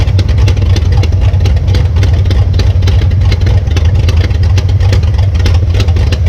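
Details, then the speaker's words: 1966 Belvedere V8 after swapping a flooding cheap Quadrajet for a rebuilt used Edelbrock carburetor: deep, even burble with steady pulses and clean revs, no stumbling or flooding; smooth running. "Okay, this carburetor works way better than the other one. The other one was just flooding big time."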